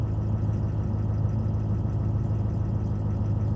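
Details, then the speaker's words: 2004 diesel, 147,000 miles, slow to start when cold: after a cold start it idles with low, steady, even clatter and no misses; injectors not suspected, high-pressure oil leak-down suspected (oil filter drains down, possibly pump seal), unconfirmed. "I wouldn't pick on any injectors item it fired up pretty good"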